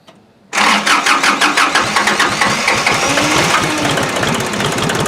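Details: Kubota L2350 tractor diesel after water found in fuel tank, system cleaned, new fuel, injector lines bled, preheated: silence, then catches quickly and settles into a steady even clatter of about three beats a second; starts clean.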